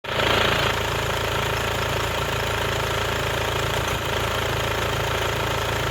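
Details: Mercedes-Benz W204 C 220 CDI, OM651 diesel: steady, fast clatter over an uneven, rough idle; faulty injector rattling.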